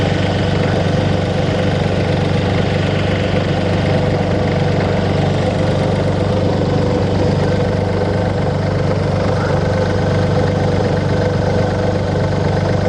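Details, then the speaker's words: 2002 VW Polo 1.2 three-cylinder AZQ petrol after non-start repair; steady even idle with no misfire, stumble or knocking; normal idle. "she's alive simply diagnostic fix is another one"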